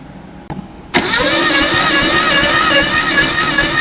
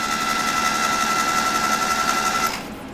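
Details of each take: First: 1972 Datsun 620 pickup, compression test cranking on cylinder one: steady starter spin about two and a half beats a second, light even pulses; unimpressive low compression, ideally 100 psi or better. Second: 1972 Datsun 620 pickup, long unrun, cranking after Blaster soak: fast even spinning whir with steady tick three to four times a second, no valve clatter or rod knock; turns over freely, normal cranking.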